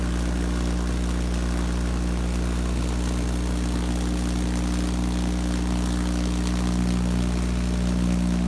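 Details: Vacuum tube Tesla coil (VTTC): loud, steady, low buzzing drone at an unexpected pitch relative to the resonant frequency; cause unknown, owner doubts grid leak.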